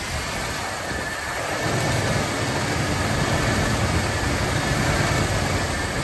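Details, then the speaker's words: 1979 Lincoln Continental Mark V V8 after new spark plugs and a vacuum leak fix, idling: smooth even burble, no misses, running on all eight cylinders; owner suspects a water pump issue needing attention. "But you can hear it. It It runs really nice. Getting on all eight cylinders now."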